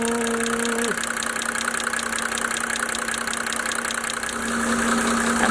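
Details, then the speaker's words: 1987 Mercedes-Benz 300D Turbo, OM603 diesel, idling during a diesel purge: steady deep hum at one even pitch under the clatter; source unknown. "This engine has such an interesting humming, kind of deep humming sound. It's the only one, 603, which I remember hearing it."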